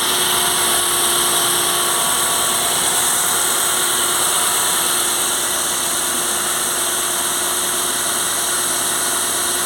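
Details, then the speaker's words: Ford Fiesta after repair, belt already replaced and water pump found to be the cause of the squeal: engine idles smoothly with an even whir and hiss, no squeal from the accessory drive. "aí galera vocês podem ver que sumiu barulho ó lembro que tava bem nessa parte aqui ó essa parte que ele tava é ringindo né no vídeo anterior que eu mostrei aí certo agora não tá mais"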